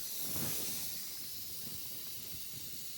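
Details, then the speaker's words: Tire on the 5-speed Caravan being filled from a compressor that may have run down: a steady, airy hiss with no rhythm as air leaks from the tire everywhere. "Well, it's going slowly. The compressor might have run down. Yeah. Also, oh, this is leaking from everywhere."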